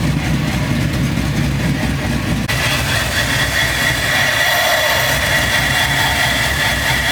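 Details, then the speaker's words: C10 truck V8 after new wiring harness, injectors and MAP sensor: idle starts fine then after a few seconds stumbles and wavers unevenly; a suspected vacuum leak causing the rough idle, O2 sensors also misreading. "So, after checking the truck out, there seemed to be some kind of vacuum leak that was making the idle act up on this truck. When you first turn it on, it started off good, but then after a few seconds, it started tripping out."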